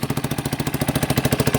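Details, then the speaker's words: Warm-up idle of a 1989 Yamaha Big Bear 350 ATV revived after sitting 10+ years, on half choke: steady even single-cylinder exhaust pulses, no knocking; possible exhaust leak, won't take throttle yet and backfires when given some. "Let her warm up a little bit. She sounds good. There's no knocking."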